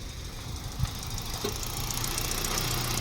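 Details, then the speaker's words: Mitsubishi New Cedia 4G18 with gas kit fitted three months ago, running on LPG after all four coils and spark plugs replaced: uneven lumpy idle with irregular stumbles and weak acceleration; fine on petrol, gas-only fault persists. "สรุปแล้วอัตราการเร่งก็อืดเหมือนเดิมนะครับออกตัวเนี่ยเวลาเราเหยียบเนี่ยมันไม่มีแรงนะครับ"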